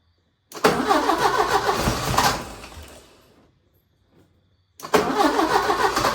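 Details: 1980 Porsche 924 Turbo, new fuel filter, starting fluid sprayed in, on a jump box: the starter turns the engine over but cranking fades and slows with no firing; cranks but won't start, the jump box possibly dying.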